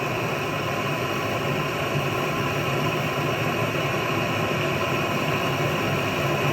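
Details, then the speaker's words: Vintage Otto Bernz blowtorch with valve cranked fully open: loud steady jet-like roar, no sputter or pulsing; burning cleanly at full valve. "It's like a jet engine taking off. Look at that."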